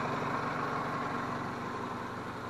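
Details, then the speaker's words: 2001 Toyota Camry idling after a clogged catalytic converter was replaced and the gasket realigned; smoking stopped, spark plugs possibly due: steady, smooth, even idle drone with no knocks, misses or rattles. "I think it could use some spark plugs, even though it runs okay, but now it sounds happy."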